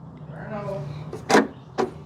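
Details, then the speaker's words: 2002 Jeep Liberty being checked for a parasitic draw, after reconnecting the battery: rear hatch lock actuator cycles by itself, short electric buzz-clunks about every half second. "okay oh so this lock cylinder is trying to actuate I don't know if that's actually a design or design flaw but that's what it's doing"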